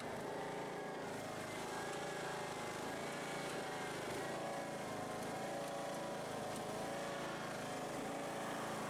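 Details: Husqvarna YTH18542 riding mower after deck rebuild with new parts, old belt: steady even engine drone with blades engaged, no squeal or grinding; cutting normally, though mower still shakes.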